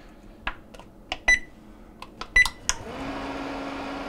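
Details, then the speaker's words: GE JGRP20BEJ1BB single wall oven after the noisy fan blade was pried up: a few clicks and two control beeps, then a smooth, steady fan hum with no rubbing or scraping. Noise gone; the fan blade may need replacing if it returns. "all right nice and quiet like it should be so uh what we'll do is we'll have the customer just monitor the unit"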